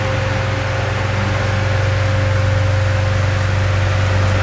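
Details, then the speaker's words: Fasco K-124-A fan before restoration, motor mildly warm after about 2.5 hours on high with oscillation, now put under a little load; a steady hum with constant tone and soft airflow, and the earlier bearing scrape is gone. "so let's put a little load on the motor let's see what we got well you really don't hear the scrape scrape that you heard earlier"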